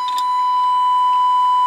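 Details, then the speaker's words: Baylor 6 radio after tantalum/electrolytic capacitor replacement, HP signal generator feeding a 455 kHz IF tone with audio tone; clean steady ~1 kHz tone over faint hiss, volume adjustable, signal passing through radio fine: normal IF test tone. "that is the hp signal generator generating a 455 kilohertz tone or signal with a tone and you hear i can turn it up or down here so you can hear it's making it through the radio just fine"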